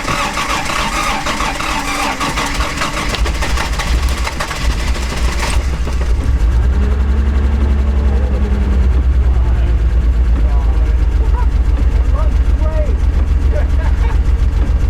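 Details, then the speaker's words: Toyota Celica Supra 5M-GE bought with suspected blown head gasket, compression test showing very low numbers, running on about 2.5 cylinders: after cranking it catches and idles lumpy and uneven with a loping beat, heavy black smoke; low compression. "Alright, so here's what the car sounds like, and here's how we drove it home with low compression."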